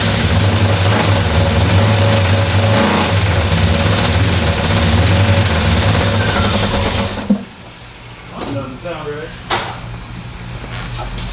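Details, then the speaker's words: Freshly repowered Square Body Chevy C10 with a Blueprint Engines 350 and new 700R4 transmission, first start: a loud V8 with a steady scraping rub underneath, as the flywheel counterweight hits the plastic bellhousing dust shield. "counterweight counterweight on the flywheels hitting right there"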